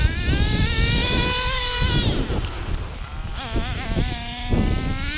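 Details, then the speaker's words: Hobao Hyper 7 nitro RC buggy with new generic clutch, after further small needle turns: high buzzy note sags and is slow to pick up on throttle but holds without stuttering; slow throttle response, tuning not finished. "So it's taking a little time. But it wasn't stuttering. It wasn't stuttering like before, you see?"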